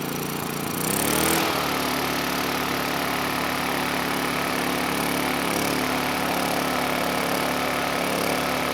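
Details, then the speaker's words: Honda EU2000i generator that smoked and could not power a load, after repairs, choke off, airbox not yet fitted: steady buzzing run with wavering beat and an occasional slight miss; running better but still a little unstable. "So, it is running better. Uh, but still not perfect. I could hear it missing a little bit. You know, it was a little bit unstable."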